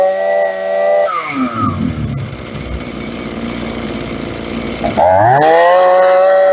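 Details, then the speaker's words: Free roadside Hitachi CS33EB chainsaw on the previous owner's old fuel at half choke, first start: sharp buzzing revs up, drops to a rough idle, then screams back up cleanly. The saw runs and responds to throttle normally. "You gotta be kidding me. It actually works. I can't believe that actually runs. I was not expecting it."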